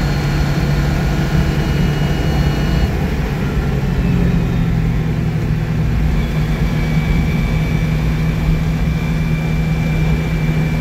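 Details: 1962 Citroën 2CV twin on a road test drive after engine rebuild: even, steady drone pulling along with no knocks or misses; running healthy.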